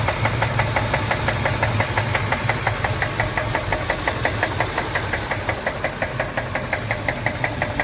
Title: Ford 5.4 liter triton motor . Rod knock !! Only 138000 miles